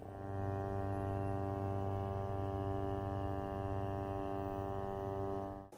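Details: GVM GT-J80D video slider motor, running at about 25% speed backwards, recorded on Canon S10 camera without lavalier mic: steady low buzzing hum with fixed tone throughout; motor whine at slow speed, owner unsure if normal.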